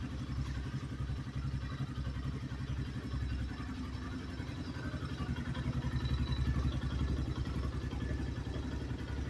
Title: New 2024 xpro knight dlx 250 engine knock